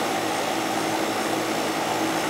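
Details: Goodman AC condenser with TXV during yearly maintenance, charge being checked (superheat and subcooling within 3): constant whooshing fan airflow with steady mid-pitched compressor hum, no rattles or surging; running normally.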